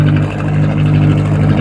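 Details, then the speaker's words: Atomic 4 inboard boat engine running at 40–45 psi oil pressure with temperature rising; a strong, steady, even drone with no misses or chuffing. It sounds much better than before. "oh she just sounds so much better carrying a good 40 45 pounds of oil oil pressure temperatures coming up"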